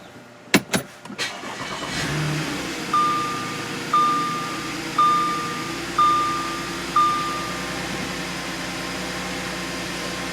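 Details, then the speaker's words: 2010 Audi Q5, about 134,000 miles, after new spark plugs for a P0302 misfire: cranks briefly, starts cleanly, settles to a rock-solid even idle with no skips, dash chime pinging; normal start and idle. "no skip so far so far so good let the idle come down a little bit [Music] yeah this is uh this is more normal you got an idol there that's rock solid"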